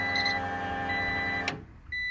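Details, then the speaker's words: 1994–2000 Acura Integra after rewiring the fuel pump through a relay. At key-on, a steady high-pitched pump whine runs, drops out briefly, then returns evenly, with no smoke or burning. Normal fuel pump prime. "you hear that that's the fuel pump so that's a good thing the fuel pump turns on you don't see no smoking and then burning or nothing like that"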